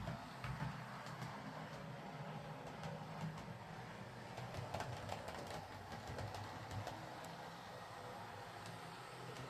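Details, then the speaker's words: Bachmann Class 25 model locomotive after repair. It came in for a suspected slipping drive shaft, traced to a split drive cup not turning the worm gear reliably, which was glued with metal epoxy. A smooth, even motor buzz with light regular clicking and no slipping. "Uh, the split wasn't too bad, though, so I ended up gluing the the cup with some strong metal epoxy, and it'll be fine."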